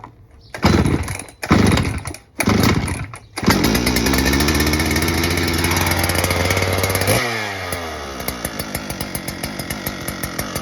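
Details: Second-hand Husqvarna 395XP chainsaw after a repair, started at half choke: a few pull-start bursts, then it catches, settles into an even idle and takes a brief rev. It runs cleanly.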